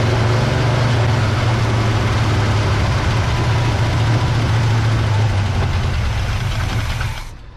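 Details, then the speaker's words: 1970 GMC V8, freshly rebuilt with all new gaskets and seals: fuel poured into the carburetor bowl lets it fire right up and idle evenly for about seven seconds, then it fades and stalls once the bowl empties; no fuel is arriving from the pump line. "she fires right up no problem she just won't stay running as soon as all the fuel is out of the bowl like what i'm putting in here now she shuts right back off again"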